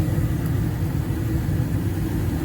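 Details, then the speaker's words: Owner's residential 80% gas furnace on first heating startup, burners firing after gas valve outlet pressure adjusted from 3.98 to 3.5 inches water column: steady low roar, no surging, flutter or popping; burners look good. "was our adjustment burners look good we're going to call this one good"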